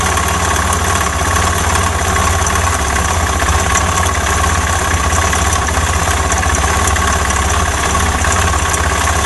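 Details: Suzuki Djebel 250 single-cylinder motorcycle idling with a steady hard rhythmic knock under the exhaust beat; it had made noises, then stopped while riding and wouldn't start; cause unknown, engine to be disassembled.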